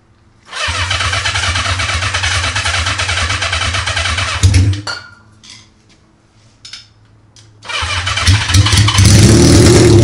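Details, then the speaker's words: Honda CB550 with open exhaust, fed starter fluid, half-dead battery, makeshift wiring: loud bark catches right away, dies, then refires and revs up rough but willing; the engine starts and runs. "battery's dying but good enough for me super awesome guys I'm uh I'm really stoked I mean that fired up super easy I mean with a half dead battery and you know makeshift wiring back together and just spraying starter fluid in there"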